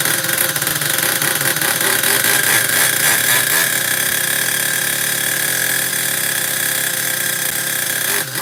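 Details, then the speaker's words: Team Associated MGT monster truck with 4.6 nitro engine on factory carb setup, fired up quickly: high raspy, uneven burbling run with unsteady revs; rich on the bottom end. "My god. Well, it runs, but boy, it's it's rich as on the bottom for a factory setup."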